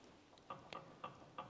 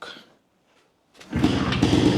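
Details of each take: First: Jawa 250 type 353 motorcycle at idle: sharp, even light clicks about three a second. Owner is unsure of the source and suspects a bearing, possibly the worn upper-end bearing; not confirmed. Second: Jawa 250 type 353 two-stroke motorcycle restarted after new base gasket and cylinder refit; catches and settles into an even, crisp beat, and the earlier sharp chirping noise is gone, though a slight bearing rustle remains: normal running after repair.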